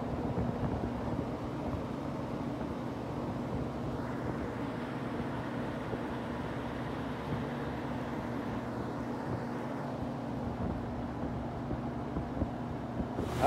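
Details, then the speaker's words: Walk-in cooler refrigeration compressor after restricted liquid-line driers, a low charge and a leak check, with a lot of refrigerant added. Steady compressor hum with condenser fan drone and no knocking, but liquid is flooding back badly to the compressor. "only problem is that we are flooding and really bad you can see right there on the compressor we're flooding back"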